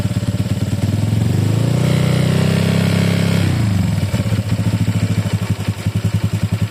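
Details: Honda Click 150i scooter engine revs up, then drops to a lumpy idle with a loud, uneven pulsing beat; abnormally noisy engine, cause unclear.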